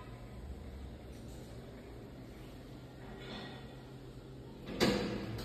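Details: Building service elevator descending: low quiet hum while moving, then one sharp bang like a door slamming around the third floor; not actually a door, source unknown, motor also gives a small jolt.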